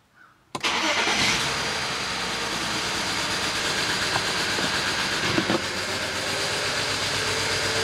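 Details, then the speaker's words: BMW 335i wagon, N54, restart after clearing codes: catches into an idle with an uneven stumble about three times a second that never smooths; still misfiring, codes on cylinders one and four. "still misfiring oh my gosh one and four what the heck what do you mean one and four"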